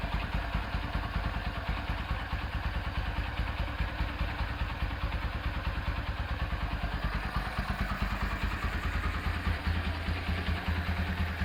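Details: Honda Tiger Revo engine after full rebuild and carburetor refresh, fitted with BRT camshaft: steady, even fast-idle thumping with slight irregular carburetor spitting blamed on the BRT cam; normal running.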